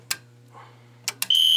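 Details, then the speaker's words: Monaco Vulcan 1 fire alarm panel: silenced and then reset while the Zone 1 pull station is still activated. Relay clicks are followed immediately by a steady high alarm tone as the panel goes back into alarm. "let me just silence this mind you the pul station still activated let's try to reset it"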